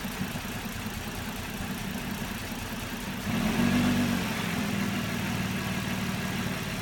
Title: Murano rough idle